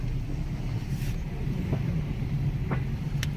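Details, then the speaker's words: Jeep Compass with 150,000 miles, ABS and traction control lights on, rolling: heavy low road rumble with sharp uneven clunks; suspension coming apart, failing strut suspected. "Good lord, that is loud. Okay, let me hurry up and get in the shop. I'll have to inspect it. Ah, 150,000 mi. ABS light on, traction control light on. Dang, horrible suspension noise."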